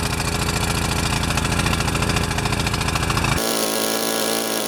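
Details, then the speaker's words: Pressure washer that wouldn't start since last fall, with fresh oil, a new air filter, a cleared clogged bolt and an automatic choke: the small engine chugs lumpily about three beats a second, sputtering and coughing because the choke was left on, running rich. "You saw that video out on the grass where it was just sputtering and coughing and really not happy."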